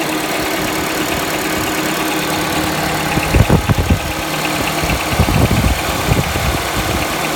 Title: Стук в двигателе Honda Accord 7 2.0